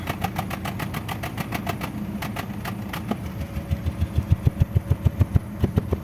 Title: Cómo se escucha un misfire en tu motor???